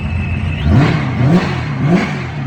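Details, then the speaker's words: Boosted small-block Chevy S10 after months of fixes, warm after 10–15 minutes running on a ~98°F day: three quick, clean blips that climb and fall smoothly back to a steady idle, no knock or miss. Sounds healthy. "Been running for about 10, probably 15 minutes now. Sounds healthy."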